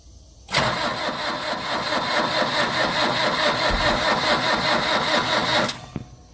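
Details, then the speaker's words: Very old long-sitting diesel truck after glow plugs cycled and lighter gas fed in: steady fast starter cranking about two compression beats a second for five seconds, never catches, smoke seen; cause unconfirmed. "I'm not sure that's working."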